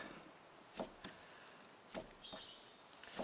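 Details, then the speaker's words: Ford Fiesta lower suspension arm pulled by hand: sharp, dull knocks in pairs from slight vertical play in the internally worn lower arm ball joint, the knock heard down the road; arm to be replaced. "there is a slight vertical movement in the ball joint which means the ball joint is internally wearing and allowing um play and this is the knocking that you can normally hear down the road"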